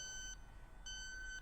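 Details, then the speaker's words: Robinair refrigerant leak detector (R134a/HFO-1234yf) testing a small leak made by pressing a Schrader valve: sharp high electronic beeps in quick bursts; refrigerant leak detected alarm. "we're gonna create a small refrigerant leak and we're gonna see if it fix finds it as you can hear it's picking up refrigerant all I did was depress the Schrader valve a little bit so"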